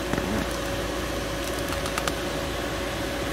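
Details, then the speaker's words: 2015 Mercedes/Dodge Sprinter 3.0L, AC blower motor replaced after failing; steady airy whoosh with faint even hum, no rattles, scraping or pulsing; new blower confirmed working normally. "all right so we made the right call as you guys can hear the blower motor is working now"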